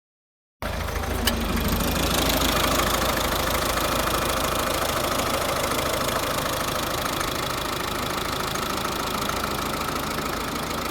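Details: 2009 Volvo S40 1.6 diesel at idle with a rough, uneven misfire and an odd knocking rattle; the cause was never found.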